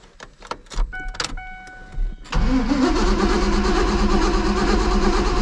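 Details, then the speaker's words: 2001 Mazda B3000 with LS swap, sitting 18 months, fuel rail pressure confirmed, no coolant in it: several uneven cranking bursts with some encouragement, then it catches and settles into a steady even idle; normal start after long storage. "oh yeah woo hear that just took a little bit of a encouragement"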